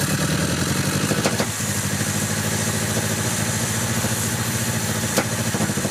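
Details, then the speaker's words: 1974 MGB with a rebuilt engine, after carburetor work: uneven lumpy idle with two sharp exhaust pops; owner suspects a destroyed number one cylinder spark plug wire causing the misfire and top-end breakup; exhaust backfire. "because the breaking up at the top ends and kind of like the misfire that's causing the gunshots out the back of the exhaust could be caused by this bad spark plug wire"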